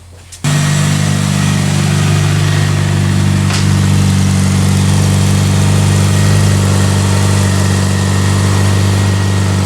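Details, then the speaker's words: 2003 Pontiac Vibe GT with a 2ZZ-GE engine, first start after exhaust work: a steady deep idle with a faint puffing tick; leak at the front plus a pinhole leak on top; exhaust leak. "we got a little bit of leak from the front gonna have to figure that out and then there's a little tiny one a little pinhole leak up on the top of this"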